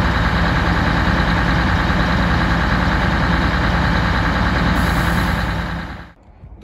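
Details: Scania DC16 PDE 16-litre V8 diesel, 500 hp, from Scania R500 truck, 1.6 million km, idling after rebuild and first start: deep even rumble holding steady, no knocks or misses, before shutdown; normal idle.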